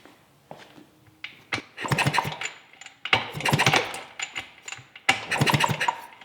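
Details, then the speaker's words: 1971 Yamaha AT-1 125cc two-stroke, not run in over a year, kick-starting after flipping the backwards-wired ignition switch: three bursts of kick-over clatter, no firing or catch; no-start, ignition giving no spark. "Alright, so before we start digging into why it's not sparking, I put the other spark plug in there, so we'll see if that does anything."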